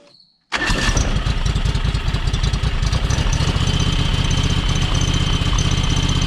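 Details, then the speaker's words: John Deere X585 riding mower, two-cylinder: lumpy uneven idle with stumbling beat and occasional pop; runs on one cylinder, spark plugs tested fine, owner suspects valves, not confirmed. "You know, the fact that you can pull the plugs and it runs on, clearly runs on one cylinder."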